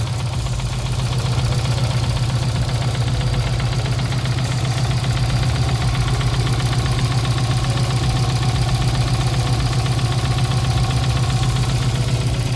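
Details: Subaru WRX with swapped JDM engine, fresh oil to level, at idle: hard even knock about four a second over a deep exhaust drone; fourth engine doing it, owner suspects oil pan/sump starving oil, cause unclear.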